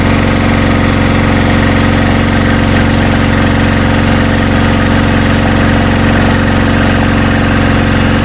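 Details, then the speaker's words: Generator engine with its head machined for gas, here switched back to petrol: loud, heavy thumping with strained vibration and still shaking; owner suspects a weak 2 kW generator at its ceiling, not enough revs. Engine labouring at maximum load. "думаю це слабий генератор такий дкіловати йму потолок"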